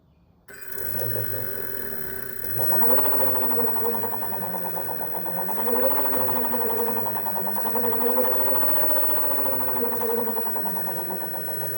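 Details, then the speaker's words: 2020 Zero DSR electric motorcycle, 497 miles: motor whine rising and falling with speed, with a fast rhythmic metallic hammering across the rev range, like loose balls in a bearing race; owner suspects a worn motor bearing, unconfirmed. "hear that rhythmic hammering sound and you can also kind of hear that sound it just sounds like loose metal balls rolling around inside of the race of a bearing with uh too much space in between them so curious if that's normal either"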